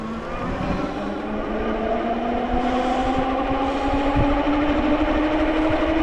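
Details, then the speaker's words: AKEZ electric fat bike (Super 73 clone) hub motor under full throttle gives a rising whine with a rough pulsing buzz about three times a second, visibly vibrating; goes quiet when throttle eased and ridden slowly. "pretty sure you can hear it you can even see it probably vibrate a little but I go and let off the throttle and just go at it slowly it doesn't do it"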